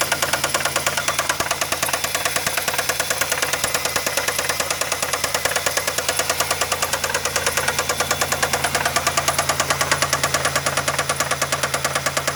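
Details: Idling engine with sharp, very even knocking about three per second, felt banging through the dog bones and shaking the mounts; owner suspects a bad rod bearing, unconfirmed.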